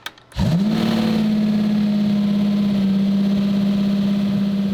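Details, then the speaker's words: RX-7 of about 1000 HP: something snapped in the throttle pedal and the engine shoots straight up to a screaming, dead-steady redline, which the owner estimates at around 10,000 RPM, and never drops back. Stuck throttle over-rev. "something popped and then the car redlined I want to say to like 10,000 RPM it was insane it was just flat like the pedal something snapped in the pedal"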